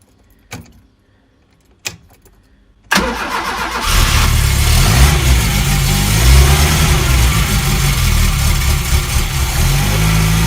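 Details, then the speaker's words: 1971 Fiat 850 Sport Coupe, choke in use: two faint clicks, about two seconds of cranking, then it catches and settles into a steady, even idle after the choke is turned off. Normal start. "Choke off and quite nicely. Well, until you flood it. Cool, success. So not sure how well you can hear me over the engine, but as you can see, she is ticking along just nicely."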